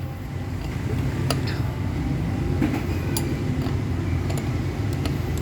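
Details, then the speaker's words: Ford Ranger common-rail diesel without battery management system, cranking after bleeding air from fuel filter, pump and common rail; low, even cranking churn at steady speed with no catches: normal cranking. "So maganda yung ikot niya, Brad, no?"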